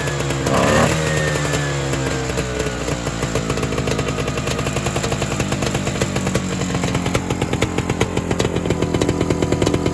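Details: Evinrude Bobcat 25hp two-stroke snowmobile, sat 20+ years, primed and recoil-started; crackles to life then pops unevenly with surging bursts that never settle; owner suspects an air leak or hardened carburetor diaphragm.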